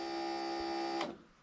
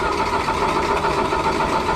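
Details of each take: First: Rail motor car with a 12 V system and an RC-car module wired through a resistor block and relay: with the switch turned on, a steady electric hum runs about a second and cuts off cleanly; the fuel pump is priming normally. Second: Rail motorcar engine started remotely through an RC car module and resistor block on a 12 V system, on choke in neutral; it settles into a lumpy, uneven idle. Owner says a weak signal sometimes makes it run rough. Finding: rough running engine.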